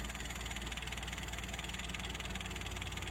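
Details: Mitsubishi L300 petrol carburetted van, which was hard to start and stalled at low throttle, after checking ignition wiring and points and lowering the idle air: steady, even idle with regular low pulse, no stumbles or knocks.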